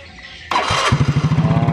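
Starter whirs briefly, then the engine catches and settles into a steady, even single-cylinder thump at idle; starting system working normally.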